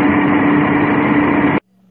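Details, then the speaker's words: Whirlpool Cabrio washer WTW6200SW2 in final spin cycle: loud steady roar with droning hum, louder the faster it spins; worn tub bearings, fixed by replacing bearing, seal and drive shaft. "The bearings are bad. And the faster it spins, the louder it gets."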